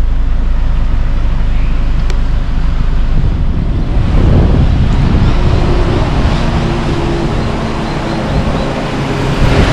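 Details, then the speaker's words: 2007 Nissan X-Trail, nearly 300,000 km, run after head gasket replacement: steady even running with cooling fans whirring, no misfire or knock, no water or black smoke from exhaust, no creamy oil or coolant; healthy. "see no more water or black smoke coming out still good"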